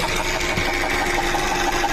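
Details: Running car engine with a fast, busy sewing-machine-like chatter and a steady mid whir, presented as an example of engine oil pump noise. Cause suspected, not confirmed.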